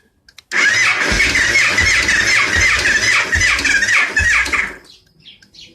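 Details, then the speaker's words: 2002 Victory V92 that sat outdoors about eight years, in neutral with the oil light going off: the starter grinds and whirs, turning the engine slowly at about three compressions a second without catching; a weak battery is suspected. "sounds like a pretty weak battery uh let's give it a little shot of starting fluid see what happens"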